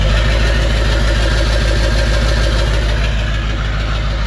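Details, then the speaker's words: Ford 7.3 Powerstroke diesel just after KC300X turbo install, exhaust unfinished: heavy idle clatter, steady low pulses about three per second, very loud and raw through the open downpipe; oil from turbo burning off. "All this damn oil from the turbo going needs to burn off. But uh and I need to finish the exhaust,"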